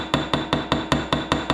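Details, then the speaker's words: Brass resonator guitar body: eight crisp, bright ringing hammer taps about five a second while removing ripples left from hydroforming, showing the sheet sits dead flat on the form: metal seated flat on form. "that sound means you're dead flat on the on that thing. If it sounds like this, you ain't on there and you're not getting that shape."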